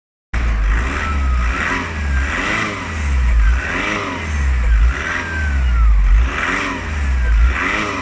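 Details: VW Passat B6 2.0 TDI: thin chirping squeak repeating about every second and a half as the diesel revs up and down, source not pinned down; squeak.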